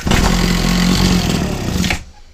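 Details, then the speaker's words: Old Husqvarna 22R two-stroke strimmer on choke, primer bulb apparently not priming: fires and buzzes about two seconds then fades; fuel starvation, owner suspects the carburetor is not delivering fuel. "It likes it, doesn't it? So we are getting something, but just not a lot."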